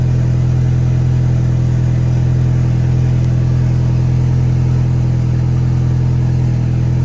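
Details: 1.8T at first start after cam timing was reset to 16 rollers between marks: perfect, even idle with no misfire and only a tiny noise; some leftover oil smoke is burning off.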